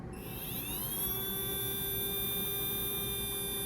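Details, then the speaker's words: Small electric motor broken in upright with a drop of oil each side: thin high whine climbs then holds one clean, steady pitch with no warble, slightly off at top end; runs smoothly. "this is one of the best sounding Motors right out of the box I think that sounds really smooth it's beautiful do you hear the tone it's consistent it's not causing any sort of warbles like a new motor usually has"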